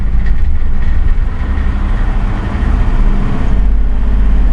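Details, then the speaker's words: 2006 Crown Victoria Police Interceptor, fuel gauge on E, exhaust smells bad; low uneven idle with a shaky pulsing roughness that smooths out somewhat when revved, jitter and shake at idle; rough idle, cause unclear. "When I rev it, it actually seems to smooth out some. It really does. But it's got that jitter and shake at idle."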